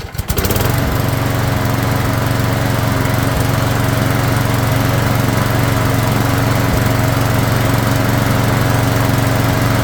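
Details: Craftsman lawn mower flathead engine after tune-up, warped carb fixed with a second gasket so it primes; fires immediately, strong even drone, no sputter or surging, runs great though it still needs a valve job.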